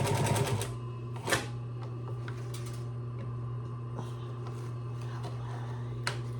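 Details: Singer 112W115 industrial sewing machine after a bobbin tension tune-up, top-stitching about 8 layers: a short burst of even needle ticking over a steady motor hum, then a smooth hum; stitching normally, perfect result.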